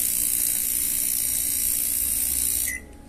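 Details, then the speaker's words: Samsung microwave keypad board running: rapid clicking chatter from the small relay (fan, lamp, turntable) over the oven hum until stopped; a dried-out capacitor starves the relay of power. "bueno como logran ver escuchan el sonido [Música] está muy raro el sonido"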